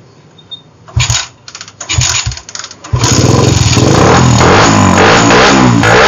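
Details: Suzuki Satria FU with a PE carburetor after a new pilot jet and carb repair kit, previously hard to start when cold: a few cranking bursts, then it fires and revs cleanly with a strong, even exhaust note.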